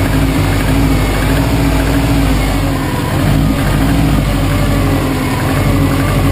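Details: 2005 Saab 9-2X Aero, 130,000 km, semi-rebuilt with new timing belt and head gasket: a loud, heavy idle with a dull knocking in the low rumble; piston slap suspected, source unconfirmed.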